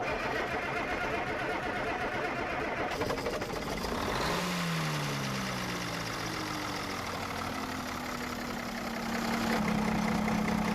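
Cranking, then the engine catches and settles into an even, steady idle at about four beats a second, no knocking.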